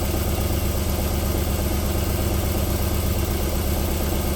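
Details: 1994 Alfa Romeo 3.0 24v QV petrol V6 just after cold start, idling steady, even and silky smooth with no knock; knocking returns after about 4 minutes warm-up.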